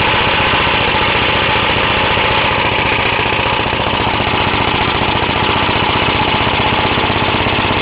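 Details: Half-restored 1954 reel mower: repainted Briggs & Stratton 6S, 1.6hp, non-original shroud, pull start removed, homemade throttle valve; plus 1984 Montgomery Ward B&S 3.5hp TMO-37425A. Fast, crisp, even single-cylinder popping, steady speed, no misses; normal running.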